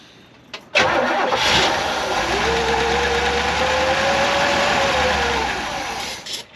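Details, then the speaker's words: 1967 Chevy Camaro after points were readjusted and distributor turned 180 degrees, with a dash of fuel added: brief crank, catches and runs steady and even for about three seconds, a clean start. "all right well that's great news it starts so I guess really the issue with this was the points were way out of adjustment and the distributor was 180 out on this car"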